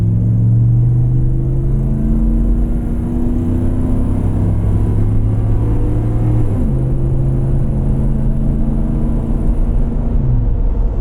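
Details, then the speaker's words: 2010 Ford F-150 Lariat V8 with a salvage title, driven under full throttle: deep, smooth rumble rising evenly in pitch with no knocks, misses or whine; the engine accelerates normally. "And it sounds good too. Not too bad, not too loud, just right. Let's see what it does when I hammer it."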